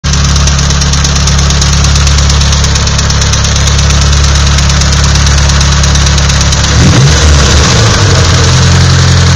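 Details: Nissan SR20DET at idle: uneven knocking beat over the engine drone, and a blip near the end changes the note; knocking, cause not clear.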